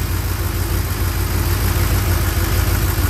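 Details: 1967 Chevrolet C10 pickup V8 at first start after a camshaft change, good oil pressure: deep, even low burble with steady beat, no tapping or misfire; healthy normal idle.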